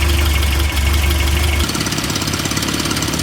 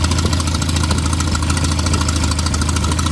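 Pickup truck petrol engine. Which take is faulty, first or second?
second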